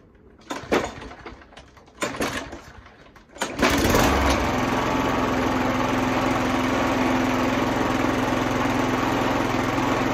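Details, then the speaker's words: Hayter mower, heavily used, after cleaning float bowl jet to cure surging: few ragged pull-start attempts as empty float bowl fills, then catches and settles into steady even running with no surging; normal running. "but I feel quite confident that's running there if you look at that now run asleep there we go"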